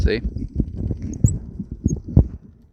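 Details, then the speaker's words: 2016 John Deere 4052R Tier 4 diesel after fuel filter change, fuel had been shut off: slow uneven thumps as it cranks without catching while the pump primes and draws fuel through the filters. "there goes the pump still pumping i don't see anything down in there yet it's probably because genius here turned the fuel off there she goes rushes in that might wear out your fuel pump you can hear it"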